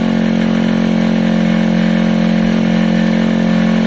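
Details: KSR Moto GRS 125 single, first start after valve adjustment, timing and timing chain tensioner work: steady, even idle with a clean note and no ticking or knocking; the top end sounds healthy.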